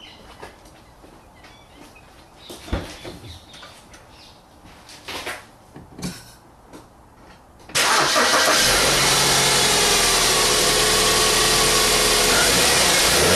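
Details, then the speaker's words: 2008 BMW E91 after coil pack and spark plug replacement: some fiddling, then it fires instantly and settles into an even, steady idle with no misses or stumbles; running properly. "so that sounds nice and smooth"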